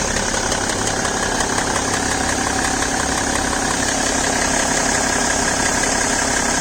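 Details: BMW E60 525d diesel idling cold, fresh 5W-30 oil, with a light, fairly regular tick about three a second over the usual clatter; ticking disappears once engine reaches about 80°C — engine ticking at cold idle.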